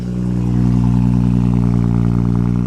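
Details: Manual car at a Copart lot: deep, steady exhaust note holds evenly for about two and a half seconds, then stops at shutoff; engine sounds healthy.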